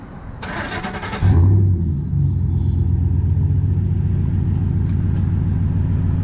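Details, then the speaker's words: 2010 Ford F-150 at idle, just after installing a Rough Country dual cat-back exhaust, checking for leaks: starter whirr, brief flare, then deep steady idle rumble with no puffing or ticking; exhaust sealed, normal. "all right Al let's start it up so you can hear how it sounds that idle"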